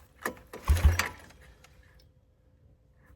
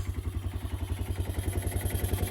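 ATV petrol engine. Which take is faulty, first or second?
first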